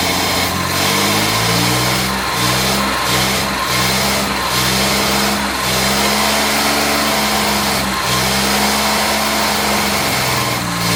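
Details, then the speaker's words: Jaguar MKII, restarted after carburetors removed, cleaned and refitted (ran beautifully before), with a different gearbox fitted: uneven, stumbling idle with wavering pitch after a backfire; owner suspects timing is off or not all cylinders firing. "I must admit it sounds like the timing is off or she's not firing in all cylinders"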